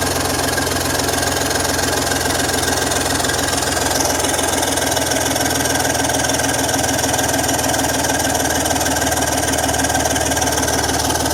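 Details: BMW M54 engine at idle: sharp, quick puffing tick evenly paced with firing over a steady hum, exhaust leak at the manifold side.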